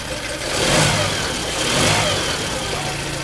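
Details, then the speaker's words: Yamaha 9.9 four-stroke outboard with weak electric choke, now fitted with a manual choke cable modification, started first pull from cold: light, steady idle with gentle rise and fall, no misfire; slight smoke from leftover two-stroke fuel in the line. "won't kill it seems like it works pretty good started first pull"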